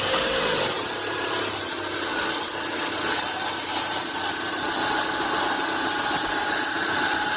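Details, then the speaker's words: 2012 Renault Duster 1.6 16-valve flex: steady raspy rubbing hiss from the accessory belt at idle, caused by a seized, overly stiff belt tensioner; tensioner to be replaced, belt still good. "o outro está com esse efeito mola aqui muito duro está travando é isso que está causando aquele barulho da correia de acessórios"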